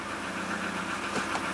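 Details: 2004 Subaru Forester XS, 4EAT automatic, after transmission solenoid replacement, idling in reverse: quiet steady idle with no clunks, slips or gearbox whine; transmission now working.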